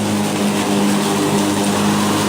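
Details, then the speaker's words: Black & Decker battery mower, third year, new replacement battery, self-propelled mode, finishing the yard: strong steady low drone with no sagging or bogging while cutting; earlier power loss was the weak battery. "still going strong hadn't slowed down any so obviously the problem I had was we battery and I am using the self-propelled mode"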